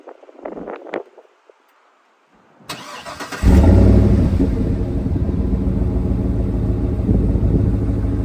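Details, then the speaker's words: 2011 Cadillac Escalade V8 just bought from Carvana: short crank catches cleanly into a deep, even burble of about 3–4 pulses per second that settles smoothly; healthy idle. "I'm going to start this vehicle, and then you can hear how that burbling goes."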